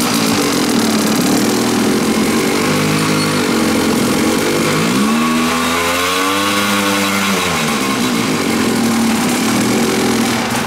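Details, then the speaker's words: Kawasaki dirt bike on a new Chinese knockoff carburetor, first run: hangs near 2,500 rpm, then surges to 5,000 and sags back, hesitant pickup; owner thinks it runs much leaner, cause unconfirmed. "It barely gets above 2,500 RPM and then revs up to 5,000. I can tell it's running much leaner."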